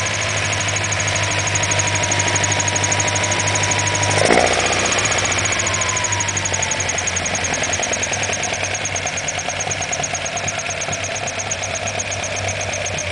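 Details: Alfa Romeo Alfetta GTV 2.0 L engine: steady idle with a light, fairly even tick-knock around three per second over the engine hum; some knock at idle, cause unclear.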